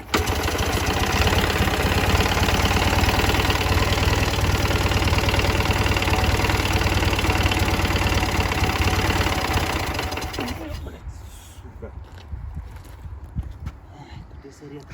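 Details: Ural motorcycle at idle: regular knock about four per second until shutoff; someone wonders if generator brushes at low revs; cause unconfirmed; engine knock at idle.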